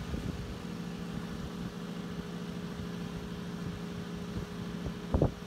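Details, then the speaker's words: 1940s Freshn'd Aire model 1400 14-inch circulator, 3-speed General Electric motor with bakelite blade, running on high: steady low hum under the fan's drone, from worn base feet letting it contact the wooden surface. "it does hum a little bit and that's because the feet on the base are a little bit worn out so it's making contact with the wood"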